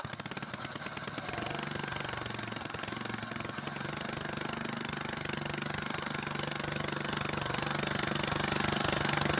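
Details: Small single-cylinder Villiers/Greaves Mk12 four-stroke engine, after repair of a no-start: points had to sit low near the coil. Catches and settles into a steady, even thumping idle; normal running.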